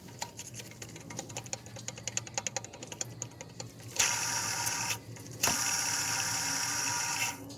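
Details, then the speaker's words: 2005 Chevy Silverado 1500 5.3 V8 2WD, engine off during water pump replacement, pulley spun by hand: uneven dry ticking then rough gritty rasp while freewheeling; idler pulley bearing has play and grinding, tensioner system coming off. "was going under pulley does have some play I hear a little bit of grinding in that as well"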